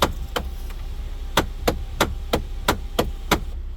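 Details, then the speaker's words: Hyundai/Kia panoramic roof glass staying partially open: sharp cracking snaps, about three a second, over a low drive hum as the glass closes, then the glass stops moving. "okay not much problems not much knocking try to close it you can hear how it's cracking and feels like it's skipping feet"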